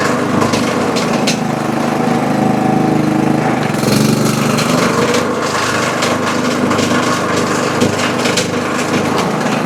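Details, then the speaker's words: Toro Super Recycler mower with blade brake clutch, loud rough clattering knock when blade engaged (handle squeezed), almost like the blade hitting something; traced to worn blade brake clutch bearings and loose blade assembly, belt, bearings and pulley replaced. "definitely almost sounds like the Blade's hitting something and who knows maybe it is"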